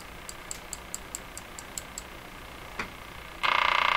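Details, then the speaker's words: Crosley 43FB farm radio: sharp ticks four or five a second, then a loud buzzing burst (motorboating). The owner suspects a wrongly valued replacement capacitor, but removing it didn't help much. He then suspects the AVC line; the cause is unconfirmed. "I missed it by a mile, and the one I put in there is causing this. So, you know, I'm just going to cut it out."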